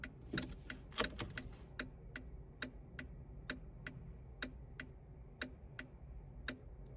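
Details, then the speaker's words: Jeep TJ with LED tail lights (Trail Tails), replacement LED flasher relay: rapid clicking, then sharp isolated ticks about every third of a second continuing after switch-off; it does this after every turn and on the hazards. "Well, slightly shorter this time, but it does this after every turn. Also does it on the hazards."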